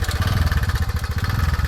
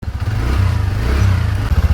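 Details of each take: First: TVS Ntorq 125 fuel-injected scooter after repair of engine noise: small single-cylinder idling with even steady putter, no ticking or rattle on top; normal idle. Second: TVS NTorq 125 fuel-injected scooter at idle, engine sound problem before repair: fast, fairly even ticking about four per second over the idle, pointing to slack timing chain and worn tensioner.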